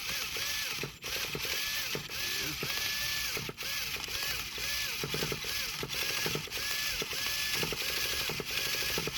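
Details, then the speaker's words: Traxxas Revo 3.3 nitro engine after full rebuild for failed bearings; repeated short whirring starter bursts with stalls, engine never fires; starter struggling to turn it over, owner suspects the one-way bearing. "I think it might be my one-way bearing. Let me know, guys, down below if you think this is my one-way bearing. I can hear it turning over, but it seems like it's kind of struggling to actually turn the engine over."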